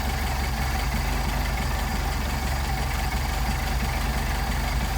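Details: Mercedes 190SL with Solex carburetors at idle after mixture screw adjusted out of the stumbling point: even, steady low idle with a regular beat, no stumbles or misses; mixture set right.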